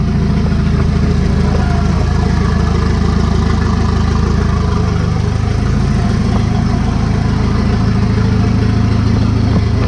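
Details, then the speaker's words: Volvo 740 turbo four just after swapping the factory turbo for a junkyard TD04 15G, downpipe exhaust, first start: even, steady idle with smooth low thrum, no knocks, misses or whistles; sounds different with new turbo, normal idle. "Oh yeah, it sounds a little different with that like turbo on it."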